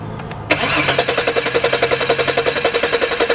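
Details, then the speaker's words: 2002 VW Passat 2.8L V6, intermittent stall and no start after road test; starter cranks evenly without firing, no spark and no injector pulse, no stored faults; previous shop replaced fuel pump and relay; faulty crankshaft position sensor found. "so road test it and it died go and crank it rich got no spark right here"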